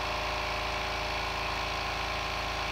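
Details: New oil-less 1 hp compressor, 8-gallon steel tank, first fill, tank passing 95 to 105 psi: fast even pumping chatter with steady hiss, constant pitch and rhythm, no knocks; filling normally and quickly.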